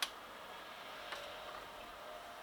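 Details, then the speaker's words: Homemade controller on an H calorie Chinese diesel heater, first test, priming at 11.2 degrees: faint single clicks about a second apart; dosing pump pulsing slower than it should. "there's a first problem I don't know if you heard that but I was particularly slow but it doesn't matter"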